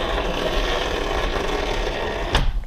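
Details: Driver or passenger window on a 2004 Porsche Boxster 986 base with 2.7 L: steady scratchy grinding while the motor drives, then a dead stop; the regulator cables have come off track and rub each other, not a failed regulator.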